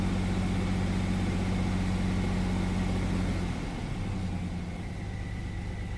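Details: 1999 Chevy S10 4.3 V6 drops from about 2000 RPM to an irregular, stumbling idle; misfire with no fuel reaching cylinders 4 and 6 despite good spark, after swapping in a used fuel spider of uncertain history.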